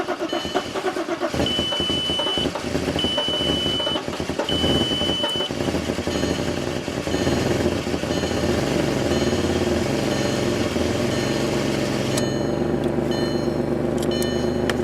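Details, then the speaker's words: 2002 VW Passat that had been no-crank, no-start, fixed by drying out the engine computer with a hair dryer: a few chime tones, then the engine catches and settles into an even run with no misfire, so a normal start. "honey it's running I don't have to push those sweet"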